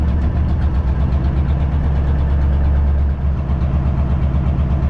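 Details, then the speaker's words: 4x4 heavy truck diesel held at raised revs after releasing parking brake, air brakes recharged to 8 bar; steady low drone then brief dip near three seconds as compressor governor cuts out normally. "Tac, ça y est, on entend le moteur régule. Donc maintenant on coupe."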